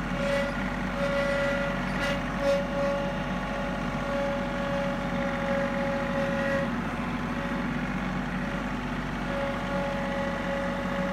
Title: John Deere 3032E Whining Noise